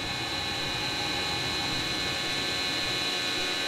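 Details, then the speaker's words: Webasto Dual Top diesel heater run without its ECU, right after the fuel pump is switched off and the flame goes out; airy fan rush with a thin whine and no burner roar as the blower is turned down to cool it. "And then we just leave that there to cool down. Let me just turn it down a bit more quieter."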